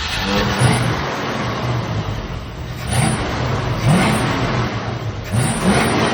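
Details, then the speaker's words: 1965 or 1966 Ford Mustang 289, long-stored, with Edelbrock carburetor, after three pumps of gas: catches and holds a rough but steady rumble with short rev blips while idle screw is raised; normal idle. "So, we're going to fire it up one more time and let this Edelbrock do some work."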